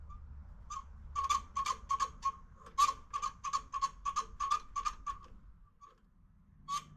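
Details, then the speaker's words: 1949 Farmall C tractor, sat for years, with new battery cables: dry clicks about three a second then silence, no cranking; starter motor is bad. "That ain't good. Well, that's convenient. Starter's bad."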